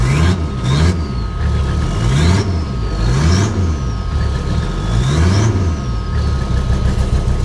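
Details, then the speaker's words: Abandoned 1980s Toyota Supra at auction, first start after sitting: runs poorly at idle but picks up cleanly on each light throttle blip and settles back evenly, no misses or knocks. "it runs poorly give it a little gas it runs fine"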